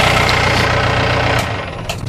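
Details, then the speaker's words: Diesel car with the EGR valve just cleaned of carbon deposits; it was noisy before the cleaning. Now a steady, even diesel clatter at idle with no stumbling or misfire: normal idle. "nggak berisik nih soalnya besok malemnya berisik Oke kalau akhirnya sini Kayaknya sudah normal"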